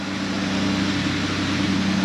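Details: 1995 Honda Passport (Isuzu Rodeo) with hard-start, power-loss fuel issue, fuel pressure checked at about 38–40 psi: started right up, smooth steady idle with even tone, no misses or knocks.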